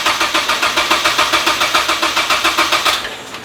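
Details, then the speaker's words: Mazda Miata with swapped 2.5 engine, first start attempt after filling fluids: steady cranking about 3.5 beats a second, never fires; owner says timing and connections are right, suspects very low battery. "so as you guys can hear and tell the engine cranks and everything but it's just not turning over and i know it's in time everything's plugged in"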